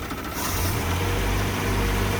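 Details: Land Rover Series 2a first start after engine rebuild, temperature coming up: low, even rumble settling into a steady idle with no knocks or misses; running smoothly.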